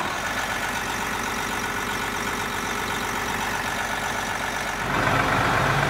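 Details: Bus diesel engine started right after a water pump replacement while checking for coolant leaks: even clatter at about four beats a second, steady and smooth; normal idle.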